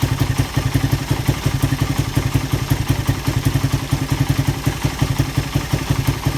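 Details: Suzuki Satria FU after repair of compression loss from a leaking valve, with new piston: quick, even thumping idle with a steady beat, no clatter or hiss; normal idle.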